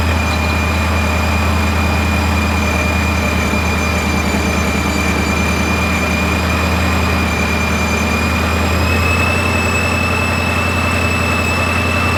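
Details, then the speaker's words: Ford 5.0 Mustang newly supercharged, first start after flashing the tune and before warm-up (coolant had been spilled into the intake runners): a loud, deep, steady V8 rumble with a faint high whine; it is running smoothly. "Dude, the sound is nuts! Oh my god! Holy shit! Alright, it's running good so far."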